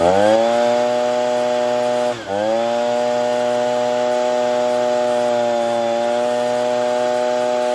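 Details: Ryobi BP42 backpack blower (two-stroke) after replacing gummed-up carburetor, air filter, fuel filter, primer bulb and fuel lines; running while a mixture screw is turned with a Pac-Man tool: steady high buzz sags briefly, then recovers and settles.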